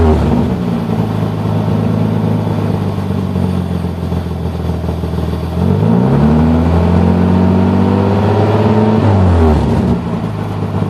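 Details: 1990 Nissan 300ZX 2+2 non-turbo with OEM exhaust idling, revving twice and settling, with a raspy puffing edge from an exhaust leak.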